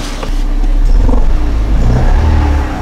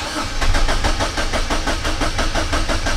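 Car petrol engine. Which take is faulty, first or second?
first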